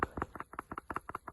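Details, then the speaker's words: Steering rack shaken by hand off the car: loose paired clunks, roughly five or six per second, following each shake; internal bearing no longer doing its job, so the rack is scrap. "There's the telltale rattle. Where that's actually moving, I'll lay it down again, it's actually moving here. So inside here, you can actually hear that the bearing inside is no longer doing its job."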